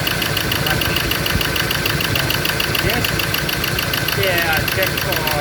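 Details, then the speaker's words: Ford Ranger diesel idles rough with an uneven knock about three a second; cylinders one and two dead with no electrical pulse on their injector wires, wiring break or short suspected, still being troubleshot. "so i disconnect number three there so i'm not getting no pulse in this wire one and two no electrical poles"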